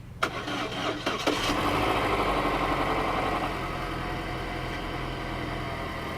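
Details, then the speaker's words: 2015 Chevy Sonic theft recovery, first start after oil fill: a few cranking turns, fires cleanly and drops into a smooth, even idle with no knocks or misses; healthy start. "Well, listen to that. She fired right up. She fired right up."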